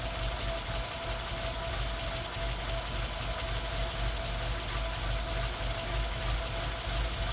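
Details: Tino engine misfiring at idle: uneven, lumpy idle with the beat stumbling irregularly under a steady hum.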